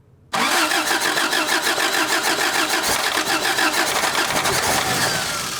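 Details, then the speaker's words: 1985 Toyota pickup abandoned 20+ years, vacuum hoses newly replaced. It fires abruptly with rapid, ragged pulsing that slowly settles. The carburetor is flooding and fuel is pouring out; the owner says the accelerator pump isn't working, suspects a dried diaphragm, and may swap to a Weber carb. "Oh, it's really flooding. My carburetor adjuster 3000. I might have to swap this carburetor because the accelerator pump isn't working either."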